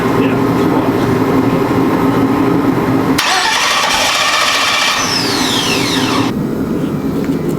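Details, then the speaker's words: Twin-turbo Chevy Nova after weeks of fixes, crank trigger newly set up: starter churns the engine steadily but it never catches or picks up speed; cranking, no start. "Alright, after weeks of fucking with this car, let's see if it'll actually start. Come on. Still no start right now."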